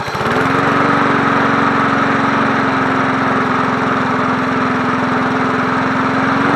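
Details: 1980s John Deere NO20K push mower, free runner cleaned up for sale, final startup on choke: steady, even single-cylinder beat, no misses or surging; runs cleanly and healthy.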